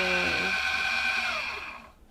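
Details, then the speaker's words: Autopilot linear drive on a newly bought sailboat, powered with 12 volts from the separate forward windlass battery bank of two 6-volt golf cart batteries. A steady high electric motor whir runs evenly, then winds down and stops; it works normally. "sounds like it works moment so we got to learn a little bit about these linear drives from our friends on sv nutshell"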